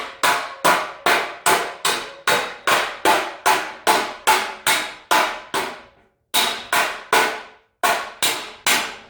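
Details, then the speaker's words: Used tow dolly fender, after about 10 minutes of hammering out a big dent: sharp metallic hammer blows, two or three a second, ringing bright and uneven where the steel is still dented. The tone changes as the panel levels. "it will sound more like that rather than when you get it level start getting it smoothed out a bit it will start sounding like there you probably could hear a different tone"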